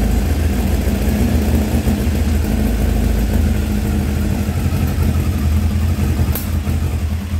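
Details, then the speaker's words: 1984 Kawasaki ZX900 at first start after sitting 5–6 years: uneven, lumpy idle with irregular firing and stumbles; the carburetor floats are sticking and flooding the engine, spitting raw fuel. "okay so the carburetors are a mess um the floats are sticking i can tell it's flooding the engine out um it actually was spitting raw fuel out right here"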